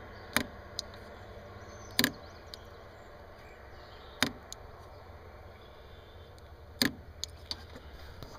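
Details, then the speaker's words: Bosch idle air control valve from a Porsche 944, bench-tested through alligator clips: crisp single clicks every two seconds or so as it snaps open and shut; the valve actuates normally. "I'm just using alligator clips and when you touch either side the uh motor will turn one way or the other it'll open and"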